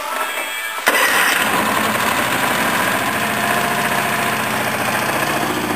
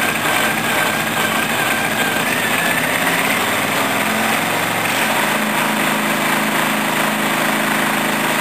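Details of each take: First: Honda 13 hp OHV tractor engine after repair: cranks briefly, catches at once and settles into a quick, even putter with no misses or surging; running perfectly. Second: Briggs & Stratton 14 hp OHV Vanguard V-twin tractor with new ignition, start-up: engine catches into an uneven shuddering beat for several seconds before dropping away; the judder comes from an unnamed part, and the clutch must be applied.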